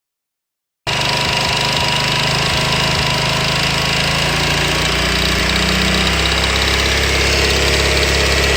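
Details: Honda VT250 Spada, cold engine: uneven metallic knocking over the exhaust note, most noticeable around 3000 rpm, disappearing once warmed up. Source not obvious by ear.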